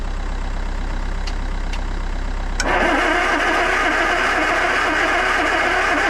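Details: Land Rover 2.25 petrol with refurbished Zenith carb, new distributor, coil, HT leads, solenoid, fuel lift pump and starter motor, spark confirmed: starter churns steadily, engine never catches; cranks but won't start.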